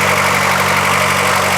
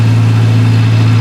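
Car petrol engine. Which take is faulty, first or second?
first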